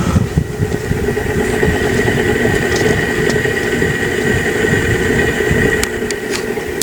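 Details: Antique brass Harbor Breeze Marco Island 52-inch ceiling fan running in a bedroom: constant steady hum with a faint high tone, louder than normal but still usable. Cause not identified.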